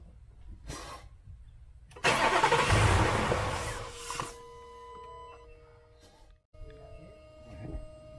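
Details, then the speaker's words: 2018 Ford F150 during intake manifold swap: fuel pump fuse (No. 50, 30 A) pulled and engine cranked to relieve pressure; starter churns about two seconds without firing, crank no start as expected. "I pulled the fuel pump fuse and I cranked the truck over you can hear it what I did but it didn't actually start"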